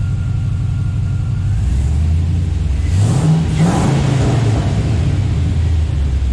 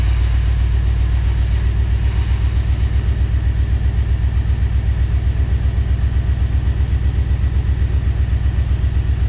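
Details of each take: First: Junkyard LQ4 6.0 V8 swapped into Scout 80, first start after purging aerated fuel rail: deep, steady idle revving cleanly and dropping back smoothly, running evenly on all cylinders with no stumble or miss; normal. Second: Scout 80 with junkyard LQ4 6.0 V8 swap, first start: lumpy, uneven idle with a steady low thumping pulse about four beats a second and some cylinders dropping out; owner believes injectors are sticking.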